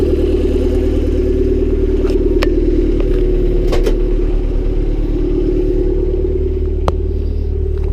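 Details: Honda Civic D16Y7 turbo (skunk2 inlet, Mishimoto intercooler, T3 top-mount manifold, Bosch 550cc injectors), cold start the day after spinning a rod bearing shell: steady idle, rough clattering underneath with occasional sharp knocks; no oil light, engine declared finished.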